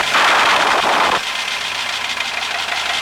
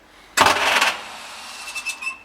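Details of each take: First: 1939 Bristol bus engine, rebuilt years ago, first start since reinstalled: short burst as it fires on the button, then a steady, even diesel idle with no knocks or misses. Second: 1939 Bristol bus diesel, rebuilt engine, first start attempt since reinstallation, decompressed: a short half-second metallic clatter from the starter, then nothing; starter pinion not turning the engine over, cause suspected, not confirmed.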